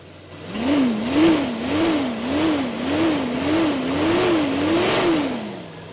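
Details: Jeep Cherokee 4.0 L petrol after fitting a stainless manifold and a new fitting to cure a leak: the engine is blipped about eight times, revs rising and falling smoothly with no hiss or ticking, and the earlier leak noise is gone.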